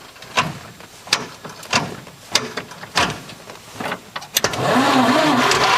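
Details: 1923 McLaughlin Buick Model 45 Special Export, cold start in neutral with choke on via mechanical ignition switch. Slow uneven cranking about once a second, then catches and settles into a steady even run; normal cold start and idle.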